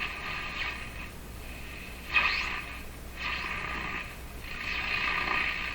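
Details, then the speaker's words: Canadian Philips 922 tube radio after replacing remaining paper capacitors, no antenna: swooshing whistles rise and fall as the dial sweeps past stations; owner guesses an oscillation in the 455 kHz IF circuits, not confirmed. "What that is there's a bit of an oscillation in the IF circuits."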